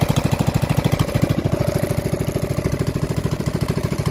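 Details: Rebuilt Honda GX270 on a Real Tree RT200, converted from gear reduction to stock crank, with new crank, coil and side cover: even single-cylinder putter, about a dozen firing pulses a second, steady and unbroken; running smoothly.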